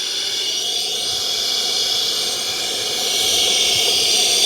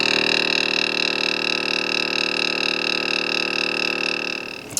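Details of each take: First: Off-road portable tire air pump, about a month old and powered from a battery bank: steady sharp hiss rising slightly at the end as air leaks from the hose or fitting; the unit is believed faulty. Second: Smittybilt 2781 air compressor (150 PSI max) inflating truck tire, gauge overshoots while running: fast even buzzing chatter with steady high hum, constant until switched off; normal compressor running.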